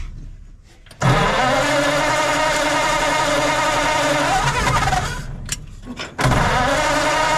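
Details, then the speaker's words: 1940s Ford flathead V8 truck that sat at least 10 years, first start after fuel priming: it cranks and catches quickly, then settles into an even, unhurried idle rumble without misses, running nicely. "well after all that works it starts and it runs and it doesn't sound too bad so we'll pump the tires up on it now"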